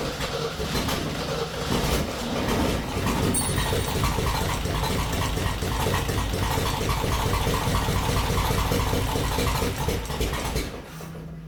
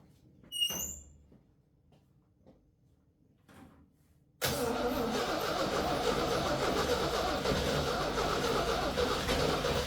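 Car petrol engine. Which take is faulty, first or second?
second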